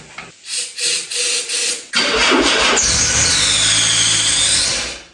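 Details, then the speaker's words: 1984 Dodge 600 ES turbo convertible, stored over 20 years: uneven cranking pulses, catches with rising hiss and whine on starting fluid, bucks, runs briefly and dies; spark and timing good, fuel starvation suspected. "She's a runner. She is a runner. But she burns up that stern lift pretty quick."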